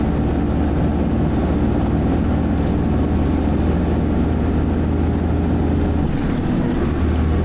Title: Grinding Noises! - First Manchester Dennis Arrow 31943 R443ULE Part 1